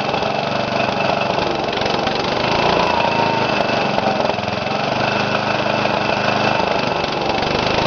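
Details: Briggs & Stratton single-cylinder after rebuild with new piston rings and gaskets and governor readjusted after overspeeding: steady, even beat at constant speed with no hunting or surging; running properly.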